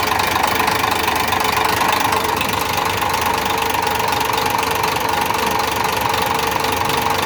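Sharp repetitive knocking around four per second rides over the idle, clattery and metallic; an internal engine knock of unknown cause.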